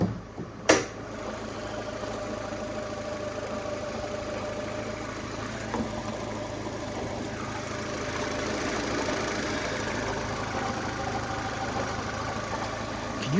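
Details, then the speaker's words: Steady idle with a faint, even knock under the engine note on an 80,535-mile car with a sticking starter motor; owner wonders if it's the clutch, source unconfirmed. "that noise cor noise wonder if it's the clutch"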